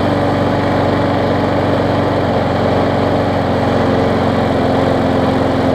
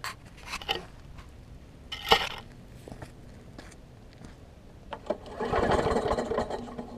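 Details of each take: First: Bolens trade-in mower with Quantum engine, run with air filter fitted: steady speed with a rough, heavy shaking drone; vibrating badly, pointing to a bent blade. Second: Bolens walk-behind mower: after some clanking it catches, its pitch climbs briefly, then it settles into a steady, even run at about three firings per second.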